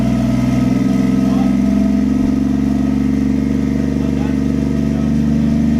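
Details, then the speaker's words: 1JZ-swapped Lexus IS300 at its first start after years of building, restarted after a failed coil pack was replaced with a new one: strong, even idle with a steady deep drone and smooth firing, no misses. Sounds much better. "so yeah that sounds way way better wow oh [ __ ] perfect would you sound so good yes it does"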